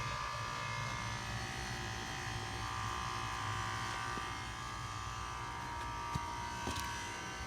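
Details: 2006 Nordic Air heat pump outdoor unit: steady electrical buzz with faint hum while the fan doesn't move, warm air still blowing indoors; about 30 seconds after the noise stopped the fan kicked on normally.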